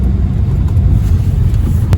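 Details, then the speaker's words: Engine after second Berryman's B12 oil-burning treatment and Break Free in cylinders: low uneven idle that lurches and sags, missing and stumbling, idle dropping too low; cause of misfire not understood. "definitely missing. It's stumbling. The idle is dropping way below where it should."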